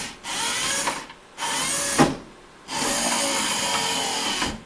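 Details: 1977 Corvette C3 driver's power window after reinstalling the original motor and cleaning the regulator contacts: three clean bursts of steady motor whir, crisp starts and stops, no grinding or binding; window works.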